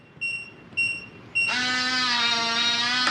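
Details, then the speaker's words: Kwikset 914 smart deadbolt: three short high keypad beeps, then steady motor whirr as the bolt drives open after the entered code is accepted. "You go to the front, you put in your code, and press the lock button. It should flash green, long beep at you,"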